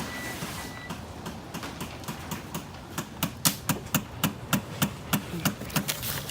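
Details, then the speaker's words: Eagle Talon AWD turbo (GSX): right after a difficult starter replacement, the starter makes a rapid, even ticking about three times a second that grows louder, but the engine never turns over and no clicking is heard. Cause suspected, not confirmed. "That noise coming out of the starter, but it's not fucking clicking."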